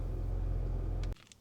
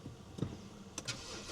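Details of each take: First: $900 BMW E90 fitted with junkyard parts, second start after power steering pump briefly ran dry: low, steady, even idle just under 1,000 rpm with no ticks or misses; running smooth, iDrive not working. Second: $900 BMW E90 first start after battery charging, coolant flush, new upper radiator hose and oil filter. The starter churns briefly and the engine catches to an uneven, wrong-sounding idle; on the second start it ran smoothly under 1,000 rpm.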